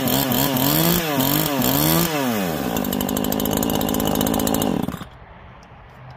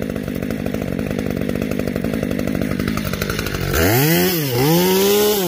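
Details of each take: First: New Neo-Tec NH843 chainsaw (Husqvarna 543 XP clone) on its first start after the idle screw was turned in a little; it fires and revs up and down cleanly, settles to a steady idle, then revs again, with no misfire — normal running. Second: New Neo-Tec NH843 chainsaw, first cuts after unboxing: full-throttle cuts with burbling, uneven beat instead of clean high revs; four-stroking badly, running rich on high-speed mixture.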